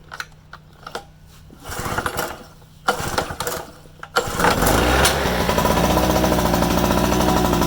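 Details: Harbor Freight 800 W two-stroke portable generator, cold pull start: a few pull-cord rattles, then it catches into a fast steady buzz on choke; normal start and warm-up.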